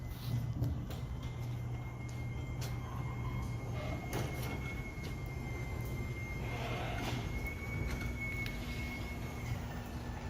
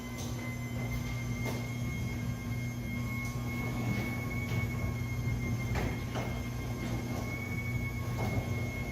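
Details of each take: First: Motorised garage door rumbling as it travels, with a thin steady squeal that shifts pitch near the end. The squeak comes from dry joints; the fix is spraying garage door lubricant on all the joints. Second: After spraying garage door lubricant on all joints: door runs with steady motor hum and light clicks, squeak eliminated.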